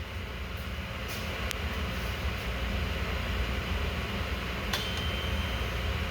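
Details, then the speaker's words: Zamboni 546 ice resurfacer engine at cold idle just after new IFR6F spark plugs were installed: smooth, steady low rumble, even with no misses or rattles; sounds good, still cold and left to warm up. "Sounds good to me. Still a little cold though. Let it warm up here for a little bit."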